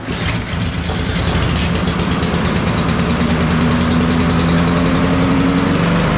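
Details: Toro 22-inch Recycler mower model 20379, Honda GCV160 engine, after self-propel belt replacement; small single settles into a steady, even putter with no knocks or misses; running healthy.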